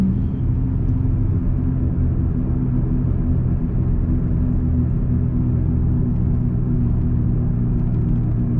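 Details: 2002-2005 Dodge Ram 1500, recorded inside the cab while coasting at speed before hub replacement: steady low drone with no engine pull behind it, worn front wheel hub bearings.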